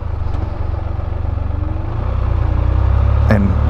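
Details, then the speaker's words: 2023 Can-Am Spyder Sea-to-Sky on test ride, owner reported loud whistling: engine drone under road and wind noise with faint light whine that quietens after upshift; normal drivetrain whine, not a fault. "another gear just gets quieter it's just trendy wine absolutely normal"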